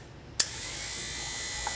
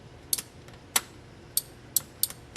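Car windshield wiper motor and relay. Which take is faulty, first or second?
second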